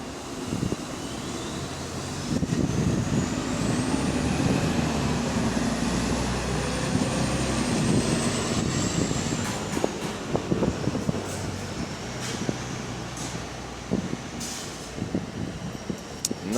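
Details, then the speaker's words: Diesel bus GAL WVL464 on route B16 roars past with a loud, raspy, uneven low rumble from an exhaust leak left unrepaired for months. "I'm convinced the engineers of beex want the bus they want to keep the bus sounding like that because this thing has been left with that exhaust Le for months now"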